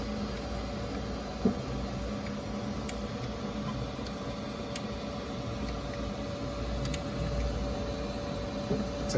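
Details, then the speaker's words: Creality K1 3D printer, under a week old, with a clicking that started that day: steady motor hum with a faint irregular click every second or two, heard only on the left side; the chain cable is not hitting anything. "I don't know what that clicking noise is I don't even see anything rattling or [Music] anything but you guys can hear that click and I'm only hearing it on like the left [Music] side"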